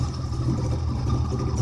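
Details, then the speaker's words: 1958 Saxomat 1000S two-stroke, first start in decades after freeing seized pistons and hand-rebuilding fuel pump, running rich 16:1 oil mix: steady, even low burble with no misses or knocks; running normally. "that's all she really needed to get running again was just work so let's running now"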